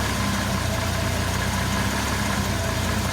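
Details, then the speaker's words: CM Valiant with newly installed aircon, small rotary compressor engaged at idle: smooth, steady engine idle with no whine, rattle or clunk from the compressor, which adds little load. AC is running quietly and blowing cold. "i can't hear that compressor going at all he's blowing beautiful and look at that you can't even hear it"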